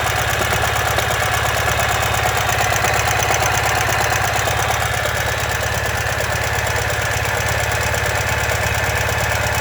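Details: 2015 Ural Ranger boxer twin at idle: a steady, deep knock at about three per second under the exhaust, caused by a collapsed front crankshaft main bearing.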